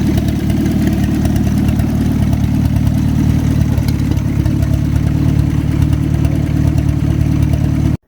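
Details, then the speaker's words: WWII-era Jeep flathead, likely an MB, revived after years sitting, clutch now working: deep steady low rumble at idle, even beat, no misses or knocks, after a minute to clear up; idling cleanly. "Look at that. Just needed a minute for it to clear up. That is running beautiful."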